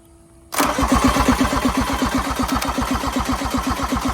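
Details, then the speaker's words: 1986 John Deere 330 diesel garden tractor, found abandoned, glow plugs pulled, return line cracked, low battery: starter cranks evenly about four beats a second but never catches; no fuel reaching injectors, air in the fuel lines needing bleeding. "not a good sign. Yeah. Not good. Yeah. Not getting any fuel out of here."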